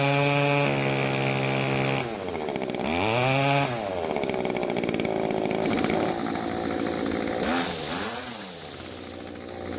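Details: Stihl two-stroke string trimmer after carburetor tuning (L screw about half turn clockwise, H screw quarter turn counterclockwise, limiters removed): revs up and drops back in clean sweeps without bogging or stumbling; running properly.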